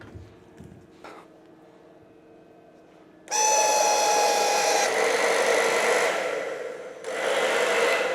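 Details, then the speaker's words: Hair dryer after repair, on setting 1 cold-blow mode: steady airy rush and even fan whine, brief dip then recovery; previously no speed on any setting, now first and second stages work, though air still very hot. "Nó không hoạt động ở giai đoạn đầu tiên, nhưng bây giờ nó đang hoạt động và còn có giai đoạn thứ hai."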